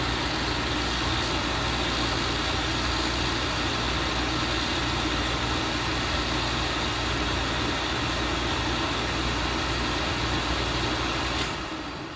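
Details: Oil-fired boiler burner right after a fuel filter change: steady roar runs evenly about eleven seconds, then cuts out abruptly. Lockout from air drawn into the oil line, cleared by opening the bleeder and holding reset 45 seconds.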